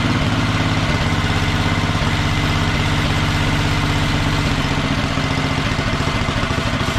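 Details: Wheel Horse mud mower with Tecumseh engine, Mikuni-style slide carb, governor arm removed, needle clip at richest position: even, steady low thump at fast idle without misses or surging; running smoothly.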